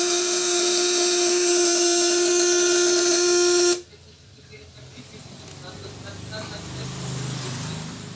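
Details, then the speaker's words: 1.5 kg platinum-point vibrator (setrum platina) at 12V under 200–1000 W load test: clean, steady high-pitched buzz holding one note, showing the contacts are well adjusted and running smoothly. "ini dia semakin halus semakin melengking suaranya nih ya"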